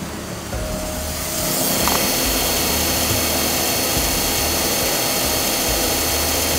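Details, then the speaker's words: Toyota Alphard CVT automatic (K115), mic placed at the transmission, engine running: steady high whine with hissy wash; earlier delay, then forced up a mountain, transmission needs overhaul. "teman-teman sudah dengar di bagian maticnya itu ada bunyi"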